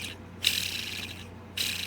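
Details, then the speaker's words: HPI 12R nitro engine during teardown: the dirty crankshaft is spun by hand and turns freely but gives gritty, rough, dry rasping that should be much quieter. "let's take this crank out of here it sounds pretty freely but I don't like the noise it makes"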